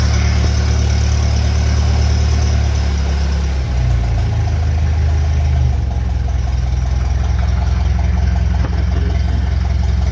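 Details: Engine on a cold day fitted with a 1956 Lucas D3A4 distributor, run briefly with no radiator or coolant; fires and settles into a steady, even low beat around three firings a second, no misses or knocks.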